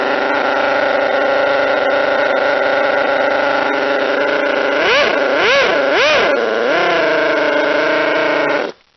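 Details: Model twin rotary engine, retested after fixing stator gear mesh noise, bad crank and housing, plates .005 mm out; steady even buzz with quick throttle blips, no grinding; normal running.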